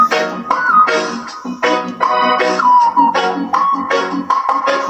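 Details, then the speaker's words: Small homemade two-transistor amplifier with a matching transformer, driving a horn speaker at high-impedance versus low-impedance settings: keyboard music loud and clean, steady level, no distortion or buzz. Normal amplifier output. "suaranya kelihatan ya ada perbedaan antara kita memakai impotensi tinggi dan membawa tensi rendah"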